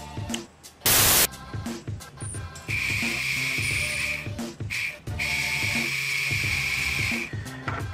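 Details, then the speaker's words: Cheyenne Thunder tattoo machine, motor powered directly, bypassing the board: a high, steady whine in short bursts, the small motor spinning freely; the motor is healthy and the fault is a coil that came off the circuit board. "вы слышите мотор у нас живой поэтому причина вот в этой катушке"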